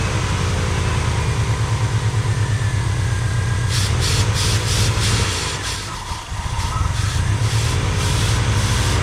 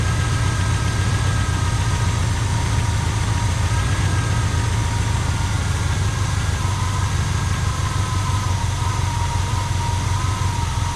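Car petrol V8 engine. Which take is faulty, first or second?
second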